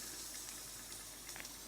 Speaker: now I'm happy with that sound it's not over hissing which means it's not getting too hot